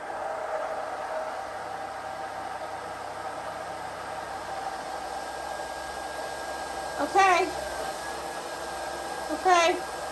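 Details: RPS solar-powered tankless pressure pump, off-grid install, first start after priming; steady even pump hum with two brief squeaks as water enters and shows in the filter. Normal pump running.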